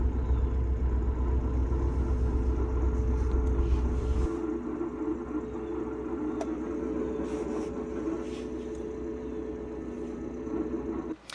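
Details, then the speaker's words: Ford Bronco with an MT88 manual transmission, cold, engine noise filtered out: a dry, uneven grinding rattle at about four beats a second from the sixth-gear synchronizer rings; the transmission was replaced under a TSB. "ly going to be hard to hear so I'm going to play it again but this time I'm going to EQ out all of the engine noise so you can actually hear the rattling a lot easier"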